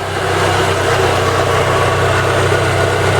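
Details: ZAZ Lanos with 1.4 MeMZ 317 engine after rebuild, valves adjusted, fully warmed up, oil pressure 1.2 bar at idle: smooth even idle with steady low hum, no ticking or knocking; normal warm idle.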